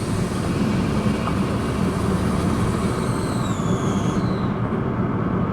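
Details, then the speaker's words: 2014 Kia Forte EX while driving: thin, piercing squeal over engine and road rumble that follows RPM, pitch sliding down as revs fall; no check engine light, owner suspects a vacuum leak. "those electronic it changes with RPM and it gets so high pitched it's got to be a vacuum leak right listen to that"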